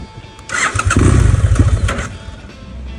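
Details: 2011 BMW F800GS (Rotax twin) with K&N filter and open exhaust, stalling when warm at idle (~100 degrees) or downshifting, fine cold; richer Power Commander 6 map made it worse: restart catches, runs rough about a second, then dies. Cause not confirmed.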